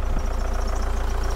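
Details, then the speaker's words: 1987 VW Camper diesel after a turbo change and leak repairs, idling: diesel clatter with a rhythmic low thump and a slightly uneven beat, a mild idle misfire; the owner blames the injectors, which will be overhauled. "yeah it's clicking away there so soon stop a little misfire in it have a listen to this [Music] and then that's those bloody injectors"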